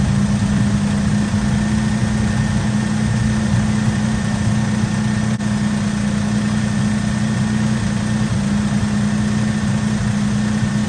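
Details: 1964 Oldsmobile F85 Cutlass V8, one-owner, 67,000 miles, revived after 33 years sitting, restarted after a bad hose and clogged fuel filter: a steady, even low rumble at constant speed with no knocks or misfires, though it idles a little high. Muffler is blown out.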